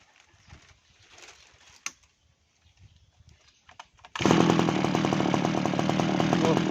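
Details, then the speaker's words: Kawabichi T-400 two-stroke brush cutter, long abandoned, after carburetor cleaned and a leaking carb O-ring replaced: after handling noises it starts on the first pull and holds a strong even high buzz; runs healthy. "ติดง่ายมากครับผมีเดียวเลยแรงมากครับเครื่องรุ่นนี้สบายๆครับ"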